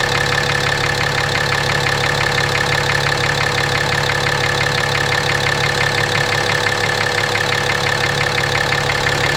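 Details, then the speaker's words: 2017 RAM 2500 6.7 Cummins diesel, 12,100 miles, Rotella T 15W-40, idling, external mic moved around engine: hard regular deep knock about three per second, always present; oil analysis shows high iron, cause undetermined. "It's got 12,100 miles on it. It's always had that knock. Other than that, it runs like a scalded ape."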